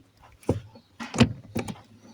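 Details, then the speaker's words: Alfa Romeo hydraulic clutch, after bleeding, pedal pumped: irregular light clicks and clunks from the pressure plate self-adjusting, which is normal. "okay everything seems to be nice I can hear the clicking that you are hearing is the pressure plate self adjusting"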